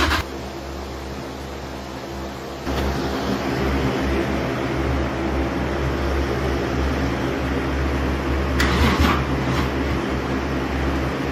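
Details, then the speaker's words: Toyota Chaser 1JZ-GTE VVTi, started by manually triggering the starter relay with fuel and spark confirmed: low drone steps up as engine catches and settles into a steady even run; normal start and idle. "So this should start because we've got fuel, we've got spark."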